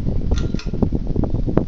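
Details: Hunter Original four-blade ceiling fan (white/polished brass), restarted after its reverse switch was flipped; soft low whir with faint light ticks, quiet and even. The fan runs healthily.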